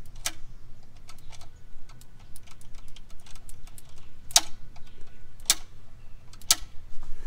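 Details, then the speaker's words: 1956 Buick Special, 322 Nailhead V8, sat 25 years, points cleaned with 100-grit sandpaper, key on: sharp irregular snaps as points are flicked open by hand, ignition throwing spark. "got some sparks so let's keep moving"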